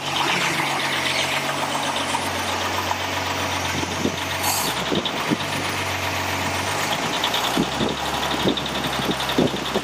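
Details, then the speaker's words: Toyota FJ40 2F engine on its first start after machining and a rebuild, with a Holley Sniper EFI and Hyperspark. A light, quick tick that sounds like a knock rides over a rough idle. Confirmed by stethoscope: timing gears settling in after being pulled apart. "on the first start here that we're doing you can hear a tick that sounds like a knock uh what that actually is i checked it with a stethoscope at the time it just didn't show up on camera it's the timing gear settling in after being pulled apart"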